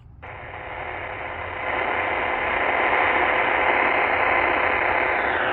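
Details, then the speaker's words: Supercharged (loopstick-transplanted) Qodosen SR-286 radio on AM 520 kHz with whip antenna: steady rough hiss with buzzy digital-display hash on an empty channel, rising with a hand near the cabinet or volume changes. "level okay so you can hear the digital hash noise there on 520 there shouldn't be any hash noise the hash noise increases when you put your hand around the cabinet or if you vary the volume"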